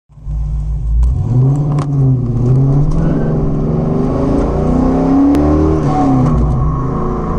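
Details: 2006 Pontiac GTO V8 driving through the gears: a thin high whine from 4th gear that follows road speed and persists until nearly stopped, in or out of gear; appeared after shifter, shift boot and clutch bleeder modifications; source unclear.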